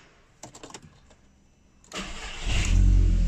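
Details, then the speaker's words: Audi TT restart after replacing the old G40 cam sensor, whose too-high signal confused the ECU on cam-to-crank position: clicks, brief crank, fires straight away, steady even idle. Normal start. "first time every time so that was a nice easy one that was just down to a sensor"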